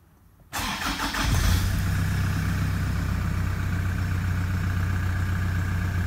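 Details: Early 2006 Toyota Prado 120 diesel, just under 200,000 km, injectors replaced about 3–4 years ago, client thinks it's noisy: a cold start cranks, fires and flares, then settles to an even clatter at about four beats a second; sounds normal.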